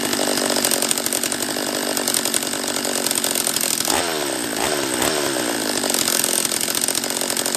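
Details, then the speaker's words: Husqvarna 44 chainsaw after a refurb, on its third heat cycle: high, unsteady scream with sagging dips in revs, and it won't hold a tune. Owner suspects a lower-end vacuum leak and plans to inspect the lower end; poor running after the rebuild. "yeah not uh not a huge fan of the uh carb on this one not yet all right so it's not running right"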